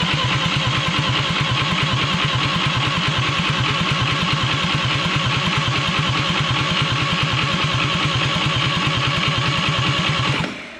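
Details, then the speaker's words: Atomic 4 ex-sailboat engine, spark at coil but none from distributor cap, distributor turnable by hand: steady starter churn, about three compression beats a second for ten seconds, never fires; owner suspects timing far off, unconfirmed. "I noticed I could turn the distributor by hand, so it could be it's really far off timing. So I'm just going to experiment, crank it and turn it."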